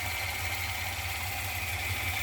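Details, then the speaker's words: Machine run slowly; thin high whine over a low hum, suspected bad Z motor, to be confirmed by isolating the motor from the machine. "let me try slowing it down a little bit [Applause] there you go now you can kind of hear that whine"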